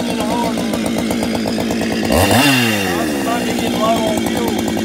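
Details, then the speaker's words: Ported 154 chainsaw with skip-tooth chain cutting hardwood oak; high buzz sags hard mid-cut and climbs back unevenly; owner thinks it is stumbling because it is about out of fuel. "might be yeah she's about out of fuel that's why she's doing that"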